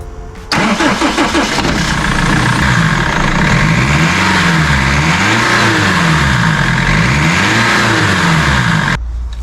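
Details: BMW E46 320d diesel after fitting a replacement boost pipe to fix a boost leak with black smoke and power loss; starts quickly and settles into a steady, even diesel idle with no hiss or flutter, sounding healthy.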